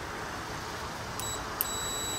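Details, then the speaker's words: Compressor for DIY refrigerant recovery build, checking for ground fault; two short high meter beeps over faint hum, continuity through windings of about 2 ohms. "so how we do that is we take our meter and we make sure that we get tone"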